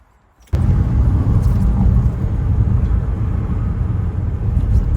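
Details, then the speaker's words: Audi 90 B2 five-cylinder (136 hp), being restored as an Audi Quattro replica: it catches and settles into a full, steady, even low rumble with no knocking; runs well. "Le bruit du 5 cylindres, la RS3 de l'époque. Ça marche bien. Ouais, ça marche bien."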